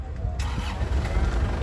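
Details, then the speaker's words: 2016 Isuzu LS Turbo diesel with a dry engine and turbo and no oil seepage: barely a moment of cranking, then it catches at once and settles into a steady, even, calm run with no shaking or limping. "ya Lur untuk suara mesinnya ya suaranya benar-benar istimewa Lur suaranya benar-benar nya kayak mobil baru enak di telinga suaranya mesinnya tenang tidak goyang tidak pincang"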